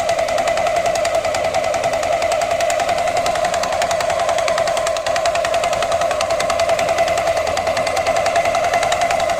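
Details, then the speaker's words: Scooter held at revs after the CVT belt snapped and was replaced: fast hammering knock from the rear variator area, and the belt doesn't drive when throttled; cause unknown, suspected to have broken the belt. "о какой-то стук непонятный такой идёт вот в задней части не знаю походу из-за этого и ремень и оборвало"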